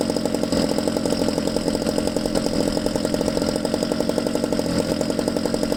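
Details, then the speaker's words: Used Ryobi two-stroke trimmer after the base idle speed adjustment: fast, even buzz at steady idle with no stumbling or hunting. Normal idle. "there so after you adjust the base idle speed which we just did and I'm happy with the way that sounds"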